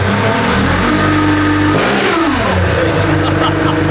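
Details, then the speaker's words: Nissan GU Patrol ZD30 diesel with Eaton M90 supercharger, about 4 psi boost at 1400 rpm, idle around 600: very loud raw unmuffled rasp rising and falling with throttle blips; open exhaust, doesn't sound like a diesel. "Yeah, right. Does not sound like a diesel. Doesn't sound like a diesel."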